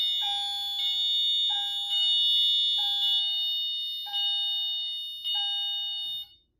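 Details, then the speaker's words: Notifier NFS-320C fire alarm panel demo in general fire alarm after pull station activation: Wheelock AMT notification appliance plays a repeating bright electronic chime tone, about one strike a second, alongside the CHDF1. "For any fire alarm condition, the CHDF1 and the Wheelock AMT will activate. The AMT will play a chime tone."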